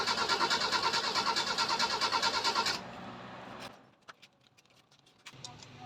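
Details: Starter cranks steadily about three times a second for nearly three seconds on a 2012 vehicle after carburetor overhaul and distributor cleaning, engine fails to catch; hard start, mechanic suspects timing not yet set.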